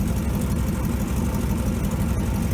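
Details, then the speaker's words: 1957 GMC 370 2-ton truck, original Pontiac 347 V8, revived after 20 years sitting, on its own tank, carburetor uncleaned (needs accelerator pump): low, even burble idling by itself with no misses, knocks or hunting; 30 oil pressure; normal idle. "Yeah, it sounds pretty good. Idling by itself there. That's without cleaning the carburetor at all."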